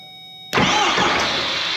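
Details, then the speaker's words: 4BT Cummins diesel in a Ford Bronco, first start: a rush of cranking with a brief attempt to catch. It bubbled and nearly fired but did not keep running. "that's kind of go tried to hit I saw it she bubbled"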